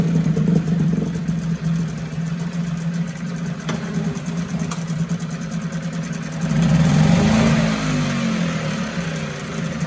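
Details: 1974 Mercury 4 hp single-cylinder two-stroke outboard, restored, easy restart from start position: even idle buzz, then smooth rise in revs and settle back, clean and steady; sweet easy-starting machine, normal running.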